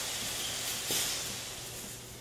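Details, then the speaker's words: Hunter Pro-Spray pop-up sprinkler body on a riser in a 100 psi water-and-air surge test: loud steady hissing screech of water through the body, easing off; it passed 20 cycles with no failure. "here's the thickness pro-spray going through the test wow you can hear the screeching water is it's pushed through the body so quickly"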